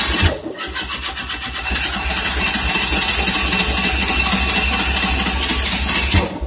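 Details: 1988 Tennant 255 Series 2: starter cranks evenly at about three strokes a second for five seconds with oil pressure showing, but the engine never catches. Crank, no start; something loose suspected.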